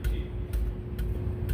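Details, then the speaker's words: 2015 Ford 3.5L EcoBoost, catalytic converter beside the upstream bank 1 O2 sensor tapped during P0131 diagnosis; four dull taps die out cleanly with no marble- or rice-like rattle: solid catalytic converter. "because you start to hear like marbles and sounds like rice bouncing around. Cats need to be replaced. These are actually solid."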